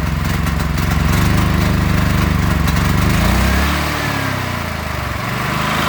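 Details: Predator 8750 W inverter generator with Nash Fuel tri-fuel kit, running on propane without choke at idle after idle-screw adjustment: steady, even chug with a brief dip in tone as it settles; normal running.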